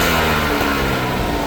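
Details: Vespa SS180 two-stroke revving and holding, with a hard, tinny rattle under the exhaust note, which is piston slap.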